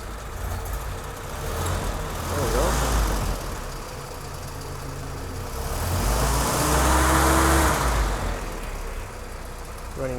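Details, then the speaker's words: Jeep Kaiser CJ5 F134 four-cylinder, rebuilt with new piston rings for oil consumption and ready for break-in, started cold without choke: low, steady idle with a light swell in revs, no knocks or misfires; oil pressure around 50 psi on 10W40. "There we go. It's running. It's cold right now."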